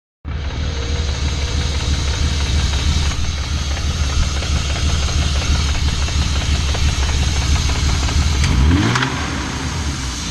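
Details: BMW M50 petrol straight-six idling with a loud, busy rattling knock over the low engine note.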